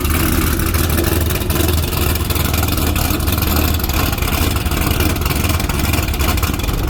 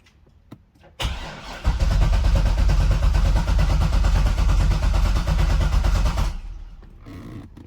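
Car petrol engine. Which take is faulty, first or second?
second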